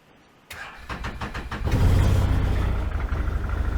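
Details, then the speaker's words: 2014 Can-Am Commander 800 before repair, long-standing squeak and rattle: engine cranks and catches, then loose uneven metallic rattle about four a second over idle from the CVT primary clutch. "let me know if you can hear the rattling hear that sound so that's not normal"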